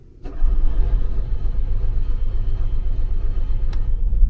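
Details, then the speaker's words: RV generator that has been sitting a while, being exercised: steady low cranking churn for several seconds after priming, a little catch but no run; owner suspects it needs priming again, flooding possible if over-primed. "Did you hear that little catch? That tells me it's getting close."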